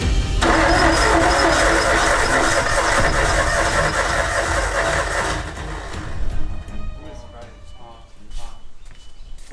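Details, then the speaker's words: Nissan R32 Skyline, stolen and thrashed by thieves, cranking and starting: a loud, uneven churning like a boat, knocky while cranking, with a stumbling, lumpy beat around four per second that fades out. It misfires badly; cause not yet known. "It sounds like a boat. That sounds really, it's misfiring as well. It's misfiring really bad, and when it's a bit cranking, knocky, man."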